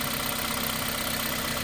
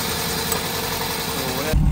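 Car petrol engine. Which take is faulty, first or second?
second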